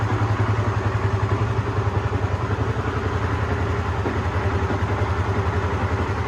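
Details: Honda CBR150R FI (Thailand) single-cylinder after replacing cam chain, tensioner guide and tensioner, stock exhaust refitted: steady, even idle with no ticking or chain rattle, much smoother than before the repair.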